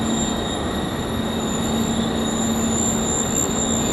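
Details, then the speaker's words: Perforated sheet metal screen turned perpendicular to the airflow in a wind test rig gives a steady, piercing, very high-pitched squeal (aeolian whistle) over loud rushing wind, growing consistent. "it's coming around now you can hear it starting to make the odd squeal get quite consistent"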